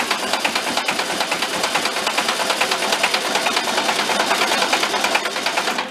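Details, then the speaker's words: Barn-found circa-1973 VW Karmann Ghia, stored about 31 years, cranked on starter: light metallic clacking about two per second, likened to rod knock; clatter source unknown. "so a little bit like a rod knock huh let it spin for a little bit"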